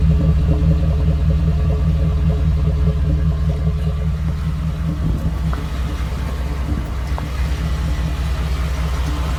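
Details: 2014 Ford F-150 5.0 V8 with 54,000 miles: deep, slightly uneven rough idle with a faint tick in the beat; ticking began around 52,000 miles and worsened after a dealer visit, cause unknown.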